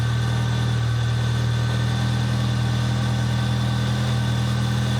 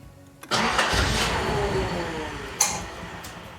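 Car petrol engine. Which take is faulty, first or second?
second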